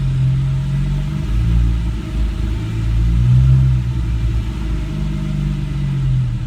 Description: 2013 Porsche 991 c4s rough idle and hesitation. I only revved it one time the rest was all the engine idelling on its own